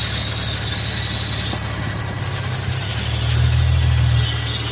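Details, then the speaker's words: Infiniti FX at idle, vacuum hoses and PCV valves being replaced: a steady low idle with a light, fairly even ticking hiss about four a second. One PCV valve is noisy and its catch can is oily; the cause is unclear. "Yeah, I don't know why, but this one's making a lot of noise."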